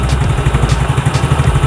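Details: Yamaha Mio Soul GT 115 scooter after new cylinder block installed: even, steady single-cylinder thump at idle, no knocks or rattles, healthy; residual exhaust smoke from old burnt oil expected to clear in about two days.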